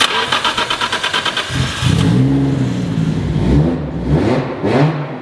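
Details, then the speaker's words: Nissan R32 GTR after new ID 1700 injectors, new power steering rack and pump; first start, starter whirs briefly, catches with quick rev and settles to smooth steady idle, sounding healthier than before. Normal start and idle. "it sounds really healthy actually like even healthier than previously which is really good"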